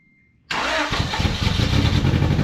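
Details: Old Honda Accord after new fuel tank, pump and tune-up following ethanol gunk: cranks, catches, runs lumpy and ragged briefly then dies; loose spark plugs found afterward; rough running after start.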